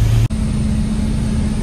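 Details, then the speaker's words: Infiniti M37S after replacing the cylinder 5 coil pack for a misfire (P0301): after a brief cut, settles into a smooth, even, low hum with no stumble or skip; scanner shows no codes. Clean steady idle. "all right so I can just hear that the misfire is gone so let me plug the scanner up"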